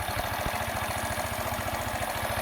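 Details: Small single-cylinder engine after all carburettor parts were moved to a third body with no accelerator pump: low, even putting at about eleven beats a second, steady idle, though it still stalls and backfires through the carburettor when throttle is added.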